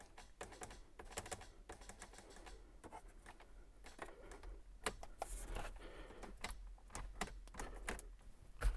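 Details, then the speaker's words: 2-step switch panel on a car's nitrous/line-lock wiring: sharp, irregular relay clicks with button presses, sometimes engaging, sometimes not; the relay works but the switch itself isn't latching, so a replacement switch panel is planned. "who knows i hear the relay clicking it's the switch itself is not latching for some reason"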